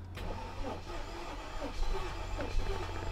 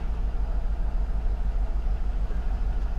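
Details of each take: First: Mercedes S55 AMG, Copart car showing 100,000 miles, first key turn in the car hauler: steady low cranking drone for six seconds that never catches; turns over fine but gets no fuel, failed fuel pump (battery first suspected). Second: Mercedes S55 AMG, Copart car, now running after a no-start, backing off the hauler with no brakes: steady, even low rumble with no misses, knocks or stumbles at idle and creeping; running healthy.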